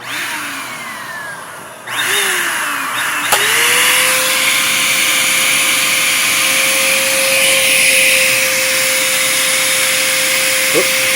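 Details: Bissell Powerforce Compact upright vacuum, very clogged: motor whine sweeps up to thin high steady pitch without airflow rush, motor overspeeding; about 50 inches water lift, almost no airflow.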